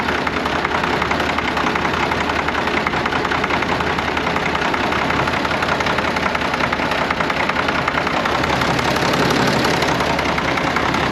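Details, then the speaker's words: Long-stored tractor (Case 970 or McCormick-Deering W9) diesel idling rough: cylinders come and go with a loose knock, losing fuel prime; injectors and pump suspected, fuel filters to be bled first; unconfirmed. "Yeah, you can hear cylinders come and go, and as they come and go, it sounds like it's got a knock."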